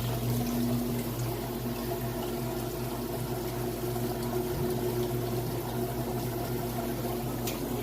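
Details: Whirlpool washer in like-new condition, drain cycle after fill test: steady low pump hum with water gurgling through, even and unbroken, no grinding or rattle; drain pump working normally.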